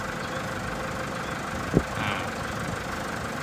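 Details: Toyota Vigo diesel after repairing leaking injector seal rings that caused white smoke and oil loss, oil changed and smoke cleared: steady even idle with soft low rumble, no misses or knocks; healthy and smooth.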